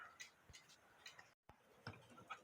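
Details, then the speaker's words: 1950s Poppo musical cuckoo clock after a new handmade V wire replaced the flat-spotted one: light, even tick-tock at about two beats a second, no faltering, running five minutes where before it stopped within a minute. "this V wire isn't the best I made however the clock's been running for five minutes now where before within a minute it was stopped again"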